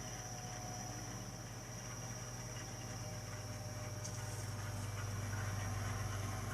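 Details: Three-year-old gas-fired Burnham Alpine ALP150W boiler running: a low steady droning hum with a fast pulsing throb of about four beats a second, heard frequently during operation; abnormal rumbling, cause unknown.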